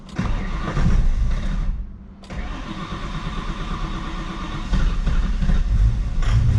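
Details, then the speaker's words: 2003 Mustang built 5.0 V8 with the MAP sensor disconnected; it runs better with the MAF off. It cranks, catches, dies to near silence, then refires and runs rough and jerky. It stalls; the owner suspects wiring, cause undetermined. "Why does it die? See, it's so jerky like It's not the tool. There's something else."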